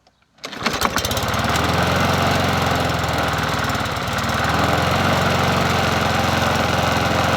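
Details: Bolens 21-inch push mower 11A-B0BL765, a free mower being fixed up, after a new cover and reconnecting the spark plug, on a cool 57°F day: catches on the pull and settles into a steady, even single-cylinder putter about 220 beats a minute.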